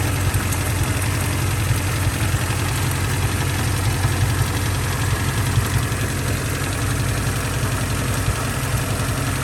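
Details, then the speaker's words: Honda Civic with 339,000 miles, warm idle: steady low rumble with a faint, uneven stumble, a slight misfire; owner suspects a blown head gasket, with water from the tailpipe, not confirmed. "we could have a blowed head gasket you could have a bowed head gasket and it has a slight miss"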